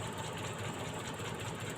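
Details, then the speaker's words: Suzuki Forsa with points ignition and suspected spark leakage, at idle with plug wires pulled one by one: slightly lumpy, uneven beat, and rpm does not drop when one cylinder is cut, so that spark plug is dead and misfiring. "Nah, yang ini sama saja, teman-teman. RPM turun, artinya masih bagus. Jadi, memang benar ada satu busi yang mati, teman-teman."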